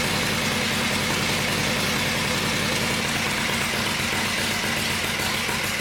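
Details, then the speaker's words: Harley-Davidson Shovelhead just after rebuild and final assembly, heads freshly torqued: loud, even loping V-twin idle near four beats a second with no knocks or ticks; sounds good, head torques to be rechecked after cooling. "But it sounds good, and I'm pleased with that. It sounds good and it looks good."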